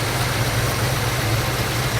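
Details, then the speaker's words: 1972 Ford Mustang Mach 1 with Ford 4300 carburetor, after carb cleanup: deep lumpy, shaky idle that won't hold steady, rpm and vacuum keep rising and falling; vacuum dropped as timing was retarded; cause not yet confirmed. "mais c'est un médium qui tremble un peu et ce qui se passe, je ne suis pas fou de ça non plus là où c'est changer le régime, euh, continue de monter et de descendre ou le vide continue de monter et de descendre"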